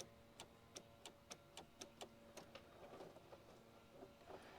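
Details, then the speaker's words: Holden VP Commodore wagon with 5.0 L injected V8, after cleaning corroded battery terminals: quiet sharp clicks about every quarter second with no cranking. Relays click, power reaches the starter, but the starter motor is not even trying; faulty starter. "give them a good scrub and try again starter motor is not even trying"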